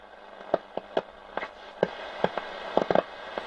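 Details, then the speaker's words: Roberts R200 radio that was totally dead, now running at 8 V on a bench supply on long wave. About a dozen irregular sharp pops and crackles over hiss when the transistors are tapped; suspected faulty transistor, though the tuning cap was also considered. "think that's transistors yeah the um if i tap those [Applause] yeah it's got poorly transistor isn't it"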